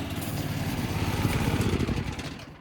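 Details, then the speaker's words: Small go-kart engine, restarted after sitting 15 years: lumpy, uneven chugging with load surges at idle as the clutch grabs and lets go; idle speed too high, bad for the clutch. "choke just like that our baby's alive so you can see what it's doing is it's grabbing and letting go what I need to do is I need to tune this down a bit"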